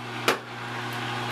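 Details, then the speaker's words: LG WT1101C/WT1201C washer: one click then steady low electric hum; drain pump running continuously, may switch off after 5–10 minutes; owner believes a firmware error fixed by hard reset. "now we can hear sounds you could hear that pump running continuously if you know it will run for about 5-10 minutes it will switch off"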